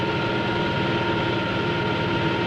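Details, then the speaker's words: Propeller model at low ambient pressure: a steady rushing hiss with fine crackle over constant tones, as cavitation forms on the blade faces and in the tip vortices; raising the pressure later suppresses it. "notice the cavitation on the blade faces as well as in the tip [Music] cortices"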